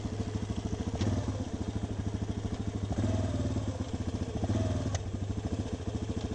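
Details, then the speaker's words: 2006 Yamaha Raptor 350 single-cylinder ATV, riding with a sharp knock every couple of seconds over the firing beat, mainly in first gear, occasionally other gears; owner suspects transmission, possibly crank bearings; cause not confirmed. "It kind of sounds like a crank. But, it only does it in like first gear."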